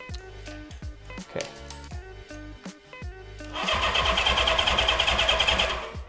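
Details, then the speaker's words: Honda CB550 barn find, 6,738 original miles, sat for decades, cranked on the starter with the ignition switch off (no spark): fast, even churning beat of about three pulses a second. Strong, healthy crank with good compression. "That sounds really good, actually."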